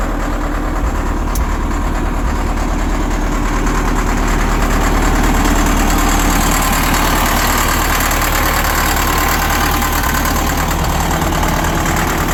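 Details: Cat 950 loader diesel, sat about 15 years, revived on new 24 V batteries after draining water from the fuel: steady, even low rumble at idle with no knocks or misses; normal diesel idle.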